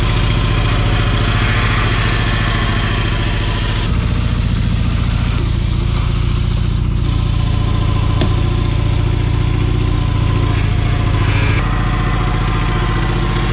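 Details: 1985 Kubota T1600 diesel garden tractor, 290 hours, after hydrostatic transaxle repair: steady low diesel chug, even beat, no grinding, clunking or whine from drive; normal hydrostatic drive operation, repair seems to work.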